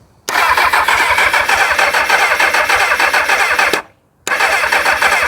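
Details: 1999 Kawasaki ZX6R with a bit of choke: fast even starter cranking, a short pause, then more cranking, never catches. The owner never heard the fuel pump start, so fuel or spark is suspected; the plugs under the airbox are unchecked.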